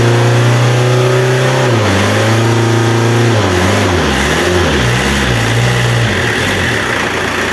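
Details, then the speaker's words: Renault Kangoo F8Q 1.9 diesel, converted from a Lucas Delphi DPC to a mechanical Bosch VE pump timed with a dial indicator: a smooth diesel hum rising and falling cleanly with blips, no knock. Runs healthy. "bueno el motor El sonido del motor se escucha impecable"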